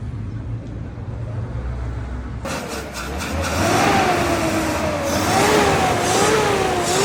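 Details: Toyota FJ40 engine idling unevenly and stumbling, then rough revving with a wavering note; misfire traced to a faulty distributor, before distributor repair.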